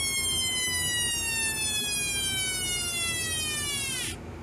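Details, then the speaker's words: Homemade 1972 siren oscillator with a 100 µF timing capacitor: clear whistling tone slides slowly down for about four seconds then drops out; sweep a little long but still not too bad. "might be a little long but still not too bad"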